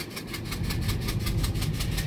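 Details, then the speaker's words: GMC Yukon SUV with a new water pump idling with a sharp, regular puffing tick, about six a second, from compression leaking out of a cylinder with a blown-out or removed spark plug, giving a dead miss. "That is a spark plug that is either blown out of the engine or been removed for one reason or another. There is a spark plug missing. It's got a dead miss, obviously, and that is the compression leaking out of the cylinder."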